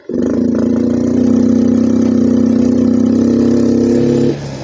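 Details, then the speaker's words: Yamaha Mio M3 125 scooter, already checked for injector, fuel pump and TPS: at full throttle the engine hesitates, climbs only to a steady mid-RPM drone and never reaches high revs, then drops back; sluggish and down on power. "Mesin ini hanya mencapai putaran mesin menengah , bahkan saat pedal gas ditekan penuh, teman-teman."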